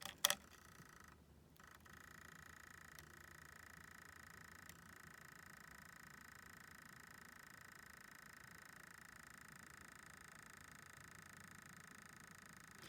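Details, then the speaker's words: Polish NS-71 night vision goggles hooked to a 12-volt battery (blue negative, red positive): faint steady high-pitched chatter with light clicks at power-on, a normal sound meaning the unit is on. "How it's kind of chattering? That's a good sound. That means it's on."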